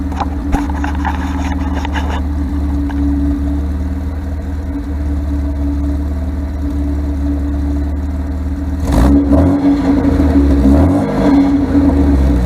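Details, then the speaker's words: 1978 MGB with rebuilt carburetors, points deleted for electronic ignition: an even, steady idle with a firm low rumble that revs cleanly. The timing seems set pretty decent, though it still diesels and kicks back at shutoff. "Sound like the timing is set pretty decent."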